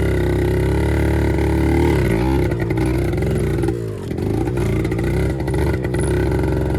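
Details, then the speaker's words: 1974 Kawasaki MC1 two-stroke revived by fitting a new spark plug after cleaning the old one failed; buzzy revs rise and fall smoothly with no misfires or stumbles between throttle changes. Normal running. "seems fine I guess it was just a spark plug um usually you can clean them up right away and they'll stay good"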